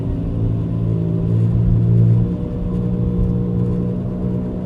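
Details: 2004 Buick Rendezvous while driving: deep droning rumble under road noise that goes away only when turning the wheel left; cause not identified.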